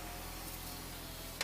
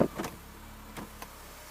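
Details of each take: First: Audi TT Mk1 roadster with engine running: passenger power window auto down and up with steady, even motor whir, then a soft thunk at its stop; passenger window operating normally. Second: Audi TT Mk1 Roadster door window motor area. Glass nearly reaches the top, then reverses; rough whirring drag with scattered clicks only when raising. Power window grinding; owner suspects it may just need lubricating, not confirmed.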